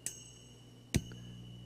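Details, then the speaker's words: Budget tube preamp kit with tube microphonics: two sharp power-switch clicks, each followed by a brief metallic ringing zing over steady hum, because the tubes sit after the volume control; tapping a tube rings too, which is not really an issue. "that zing sound that's microphonics of the tubes those are after the volume control so that the vibration from the switch and the volume control shakes the tube contents"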